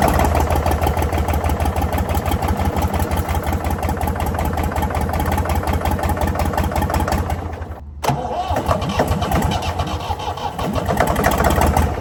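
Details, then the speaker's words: Previously seized Ford 4000 diesel tractor on starting fluid chugs unevenly near 170 per minute, stumbles, nearly dies, catches again; won't run steadily, owner suspects throttle and air, possible diesel leak, knocking noise noted. "Okay. So, that's definitely not running on a start for that extended period of time. And it's got to do with throttle and air. And I think I might have another problem. So, I'm not hugely worried about the knocky knocky noise yet."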